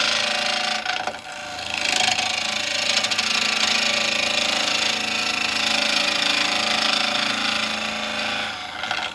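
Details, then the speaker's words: Hollowing a walnut burr bowl on the lathe, taking off high spots: harsh rasping cut with uneven fluttering chatter as the tool bounces, showing high spots still left. "I can hear the bounce, so I know I've still got some. And there, look. I've still got some to go."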